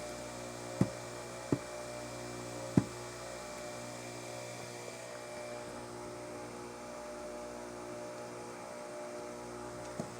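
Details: Bench grinder after four-run balance correction, 2.3 g at 0 degrees, measured with accelerometer and Falcon data collector: steady even hum without throb, a few stray clicks; vibration down from .80 to .122 in/sec, running balanced.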